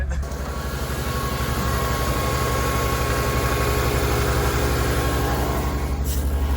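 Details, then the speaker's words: Ford F150 straight six, one cylinder at about 20 psi compression, pushrod out so intake valve not opening: steady idle with regular uneven lope, about three stumbles a second; dead-cylinder misfire. "it actually doesn't sound crazy bad no well cuz it has seven cylinders still yeah"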